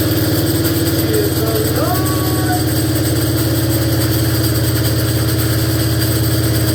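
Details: 1947 BMW R35 single started after sitting for years: idles with rough, uneven mechanical clatter over the exhaust beat; the gearbox sounds terrible, cause not found; gearbox noise while running.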